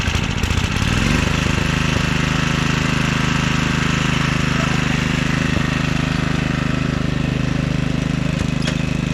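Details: 1997 Craftsman II 30" rear-engine riding mower, 13.5 hp Tecumseh engine, second test run after electrical and tire repairs: steady, even single-cylinder thrum settling after start-up, no knocks or shake; quiet, no vibration. Normal running.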